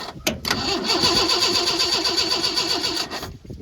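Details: 1986 Ford F-150 farm truck, sat over a year: steady fast starter whirr with even compression pulses, about four a second, never catches; crank no start, owner suspects dead fuel pump.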